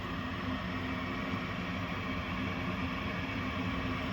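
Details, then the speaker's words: Gas furnace short cycling, later traced to dirty flame sensor: inducer motor starts with steady even whir and low hum, no rattle, squeal or surging, before pressure switch click; normal inducer motor run. "So, the inducer motor's on. Pressure switch closes. We're going to hear a click."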